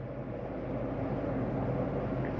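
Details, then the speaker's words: 2022 Jayco Eagle 28 5RSTS furnace started with thermostat set to 71, above room temperature; steady even blower roar with low rumble, no rattles or squeals; normal furnace startup. "Here, come out of my mode, make it furnace, but I'm going to have to go through and change my temperature to higher than the room temperature. So that's 71. Here's the furnace kick on."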